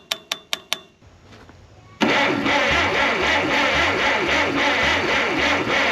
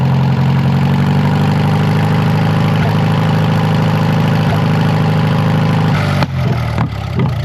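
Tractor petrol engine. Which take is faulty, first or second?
first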